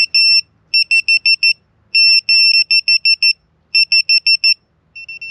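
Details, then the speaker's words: VIFLY wireless 100 dB beacon buzzer on an FPV quad; loud, shrill rapid beeps in bursts of four to six once its position sensors detect movement; lost-model alarm working as intended. "ihr mal aus wenn wir den jetzt hoch nehmen würden den kopf oder wenn er kommen und die lager sensoren erkennen dass sich das ganze bewegt fängt diese schnelle piepen an"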